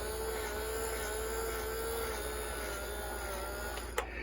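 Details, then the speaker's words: 1961 RGM Model 510 reel-to-reel tape recorder after oiling the motors and resoldering a bad joint: a steady motor hum with a thin tone wavering in pitch. Speed hunting; unclear whether it is the motor or friction at the tire or spindle. "Okay, I can hear the motor running now. Alright, let's see if we have any audio. Not sure. You can hear the motor revving."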